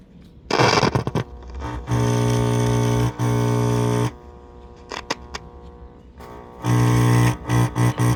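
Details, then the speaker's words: Philco Model 7030 signal tracer, first power-up after a new cap: bursts of buzzy, raspy, rattling tone from the speaker; voice coil suspected broken, unconfirmed. "Speaker sounds like it's rattling. That's kind of crappy."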